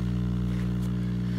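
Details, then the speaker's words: Old RCA StratoWorld tube radio powered up: plays audio with a steady low 60-cycle hum and evenly stacked buzzy overtones beneath; failing filter capacitors, needs recapping. "the good news on the RCA we have sound bad news you hear that hum I think it's safe to say that our filter caps aren't completely shot so this is gonna need recapping but it's alive making a hum 60 cycles"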